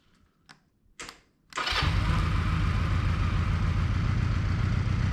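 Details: 1981 Honda CM200T motorcycle after new carburetor with idle and fuel-air mixture screw adjustments, fuel on, key on, choke on: a couple of clicks, then the twin fires at once into a steady, even low putter; clean cold start.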